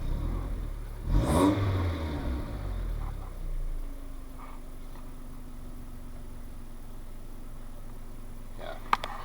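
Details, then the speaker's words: Mitsubishi Shogun Pinin 2.0 GDI 4G94 after fixing P0190 fuel pressure sensor fault (sensor short to ground, high-pressure filter checked), in gear: quiet even idle around 600 rpm, fuel trims leaning out from rich; normal idle. "593, 625, 600. Yeah, we're hovering around 600, so it's fine."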